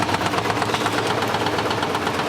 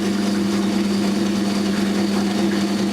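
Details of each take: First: 1980s Simpson Mini-Matic washer running on low water level: quick, regular light knocks over the motor hum, caused by the drum touching the out-of-balance lever behind it. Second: 1980s Australian-built Simpson Mini-Matic washing machine, pump at the back: steady low motor hum with a faint even churn, no scraping or knocking; the motor is running normally.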